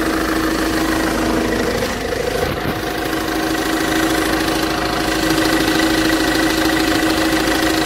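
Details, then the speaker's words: Ford Transit at idle, injectors checked and working: a rapid, fairly even knock from the middle of the engine. It later stalls abruptly, and the owner suspects the crankshaft pulley failed. "Стучит, мне кажется, что-то в середине."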